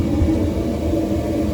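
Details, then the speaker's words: Weil McLain CGi power-vented gas hydronic boiler that was shutting down after ignition, now firing on domestic hot water priority call: steady low burner roar, no surging or popping, cleaner bluer flame than before; normal firing. "Nice and clean. It's cleaner, yeah. We have a more of a bluish Right. flame than we did before."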